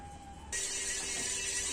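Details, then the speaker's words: Customer's ceiling fan making noise mainly when slowed to low speed: a steady high whine and hiss jumps in suddenly and holds at low speed; fan to be opened to find the source; bearing noise. "दोस्तों ये पंखा है क्यों company का इस पंखे में आवाज़ ए रही है स्लो करने पर"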